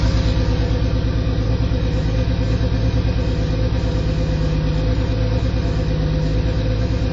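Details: Toyota Supra Mk3 at almost 100k, idling: a deep, even knock about three beats a second under the exhaust note. Rod knock.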